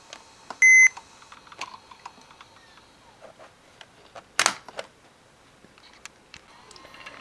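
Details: Toshiba Tecra 8100 laptop, power brick plug moved: one sharp high beep over cable clicks as charger connection drops; owner suspects worn power supply input socket.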